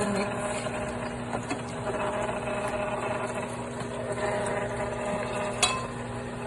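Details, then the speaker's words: Cuisinart frozen yogurt and ice cream maker churning a thickening chocolate mix: quiet steady motor hum with a few light clinks from the bowl; normal running, owner calls it a bit loud. "It's a bit loud. Not bad. But it's mixing."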